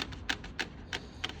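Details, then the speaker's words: BMW X5 while driving: sharp dry creaks repeating about three times a second over quiet cabin rumble, a body or trim panel creaking; later fixed by front strut repair and anti-creak treatment. "вот этот знак обозначает качество но все равно при езде вот такой скрипт"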